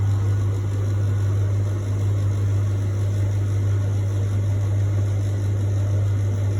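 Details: Beko appliance making a strange noise: a loud, steady low hum with a rough rumble beneath it, unchanged throughout. The cause is unknown.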